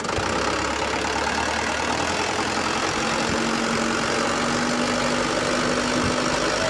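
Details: Mitsubishi Canter 125HD 4D34 diesel truck after a radiator-dry overheat scored piston 4, first jump-started run after new piston rings, new radiator and turbo refit: calm, steady idle with an even low rumble, no knocking or misfire; normal diesel idle.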